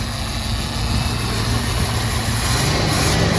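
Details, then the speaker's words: 1966 Ford Thunderbird, sat for years, started on a jump pack: big V8 fires right up and settles into a steady even idle with smooth low rumble, no knocks or misses; normal idle. "Oh man, this thing sounds excellent."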